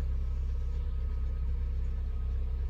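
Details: Nissan Micra petrol engine that had failed to cold start, now starting instantly after work in the engine bay; low, steady idle rumble with even pulses and no misses or rough patches; normal idle.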